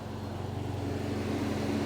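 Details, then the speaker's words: Toyota Celica GT4, sat about 10 years, after fuel system work; steady whooshing cooling fan roar with even low hum underneath, no rattle or wobble; cooling fans working normally. "Oh, the fans work. Can you hear them fans?"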